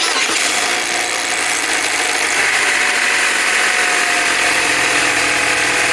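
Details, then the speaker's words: 2005 Chevy Cavalier, Ecotec 2.2L, cold startup before repair: dense fast metallic clatter about three beats a second over engine noise, timing chain rattle from the old-style timing chain tensioner, which is being replaced. "We're going to change a timing chain tensioner on a 2005 Cavalier that is causing this sound at startup."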